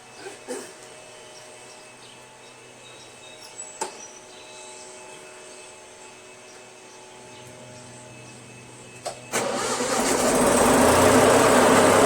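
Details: Toro Wheel Horse 616Z zero-turn mower, Onan 16HP opposed twin, after fixing loose voltage regulator wires, bypassed brake safety switch and jumpering ignition switch to solenoid: quiet until the starter catches, then fires promptly and runs steady with no misses or knocks.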